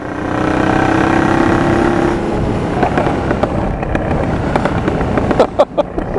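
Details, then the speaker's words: Honda Transalp PD06 with MIG exhaust: the engine revs and drops off, then a string of sharp irregular pops on the overrun as it backfires on deceleration. Owner suspects cracked, defective rubber intake boots; replacement planned. "now you can tell by first of all by the backfires take a look at the video now my intake needs this replacement i think it's got some cracks in it or something"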